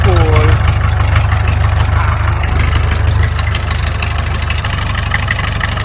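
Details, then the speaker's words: David Brown 990 tractor diesel, bought as a non-runner, first run: deep, even idle with a steady low thump, no knocks or misses; engine runs sweet, transmission/clutch still untested. "oh that sounds beautiful so put some oil in the transmission and the power steering and um see if it's going to move under its own power that's the next thing i suppose if it's uh it could be a clutch problem or gearbox but at least that motor runs man that sounds mint"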